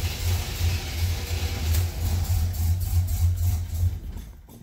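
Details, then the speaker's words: 1987 Buick Grand National, sat over 10 years, after a new gas tank, fuel pump and lines, still smelling of old gas: the engine catches and runs roughly a few seconds, then dies. It won't stay running; owner unsure whether fuel pressure is to blame. "Yeah, she doesn't want to stay running. Something's going on. I don't know if it's fuel pressure or what."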